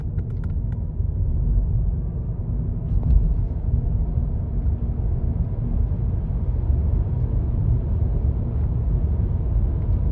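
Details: Electric vehicle driving with a steady low rumble and no engine sound: a bad wheel bearing growling.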